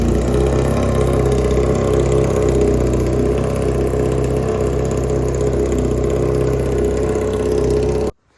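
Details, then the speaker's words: 1987 Honda CBR600F1 four-cylinder idling with no muffler after restoration, carbs not yet synced: very loud, raw, fast, fairly even burble, running steadily; normal idle without muffler. "Obviously, put a muffler on it cuz my ears are ringing. That's pretty dang loud to be sitting in here with that."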